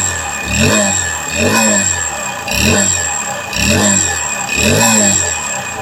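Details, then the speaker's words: Honda Beat FI second generation (K44) scooter run without the front CVT pulley: revs in roughly one-second surges with harsh metallic clatter, still rough, so the fault is in the engine itself, not the CVT; piston slap. "suara mesin depan tanpa puli depan punya injinengan Mas tetap kasar tetap kasar"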